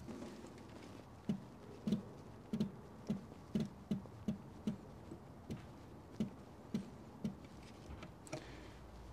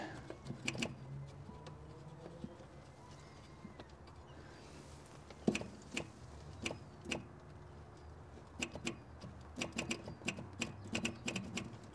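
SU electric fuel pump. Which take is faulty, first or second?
second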